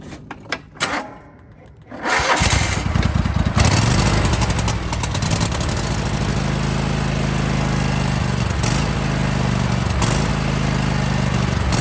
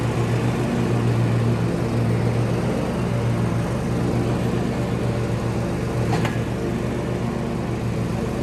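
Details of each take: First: John Deere/Husqvarna/Craftsman lawn tractor with Kohler engine surging: speed rises and sags about every two seconds; fuel starvation, fix starts with replacing the fuel filter, then carburetor and jet cleaning. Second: Kohler-engined John Deere lawn tractor after fuel filter replacement to cure RPM surging, 5-year-old weak battery: steady low drone, even firing, no hunting or surging; normal running.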